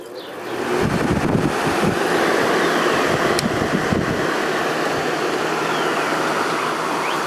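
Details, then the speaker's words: 1989 Whirlpool Coolerator window air conditioner after coil cleaning and fan motor bearing oiling: steady strong condenser airflow with even fan hum, no rattles, ticks or squeal; running normally. "Got it all put back together. Let's give it another test run. Airflow through the condenser is very strong, so that's good."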